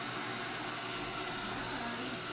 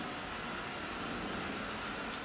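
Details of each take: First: Eufy RoboVac 30C robot vacuum (1500Pa suction) pulls a shoe into its brush roll and jams; steady high whirring motor with a strained, laboring edge, no change in pace, as it tries different directions to get free. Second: Eufy RoboVac 30C robot vacuum, 1500 Pa suction, running on hardwood floors: steady soft whir of brush and fan motor with faint hiss, smooth and even; quieter in person than on the camera mic. Normal running noise.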